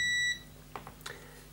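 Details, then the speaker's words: Continuity test on the corroded ribbon cable of a desktop PC DVD drive that often fails to open its tray: a single clear high multimeter beep, then light probe clicks, showing the line connects properly. "so I've just been going across and everything on the ribbon cable is actually connecting to where it's supposed to so although it's a bit corroded it looks like it's okay so for example this one goes down to here you can hear it beeping"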